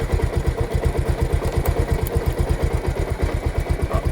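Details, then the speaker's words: Bajaj Pulsar motorcycle, in gear at idle: even low idle pulse with no slap, rattle or grinding from the chain; drive sounds clean and quiet like a new chain, no extra noise. "এই sound no sound. একদম new condition. বাইকের যেরকম new bike হলে যেরকম new chain হলে যেরকম same to same sound. No extra sound শোনো তোমরা"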